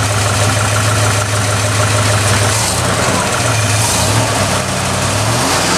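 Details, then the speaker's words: 1969 Ford F100, believed 302 V8, C4 automatic, idling: loud raspy idle with a steady low rumble and a harsh open edge; exhaust leak, passenger-side pipe cut or rusted off, mufflers need replacing. "It's a little loud because of the exhaust leak. You know, it sounds pretty cool with some new mufflers on there."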